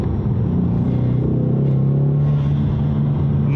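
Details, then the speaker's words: Direct-injected EcoBoost Mustang in drag strip mode after CRC GDI valve and turbo cleaner, one big puff of smoke cleared earlier breakup: strong clean pull, deep exhaust note climbing evenly under hard throttle without stumbling; normal acceleration. "now it's running nice. It was just that one big puff of smoke and nice and cleared out now."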